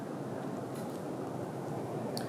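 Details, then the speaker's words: Restored 1924 Emerson 45041 DC longnose 56-inch ceiling fan on high speed: only a soft, even rush of moving air with no hum or buzz from the commutator and brushes, running quietly and smoothly. "this thing is very quiet you don't hear any humming at all there's no humming there's no buzzing it's just you know super nice and quiet"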